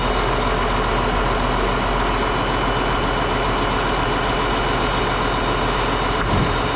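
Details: Caterpillar D8H bulldozer (46A serial, year unknown, No. 28 cable control unit) running after sitting 15+ years, once fuel reached it: diesel ticking over steady and even, deep low rumble, no knocks or misses, running good. Normal idle.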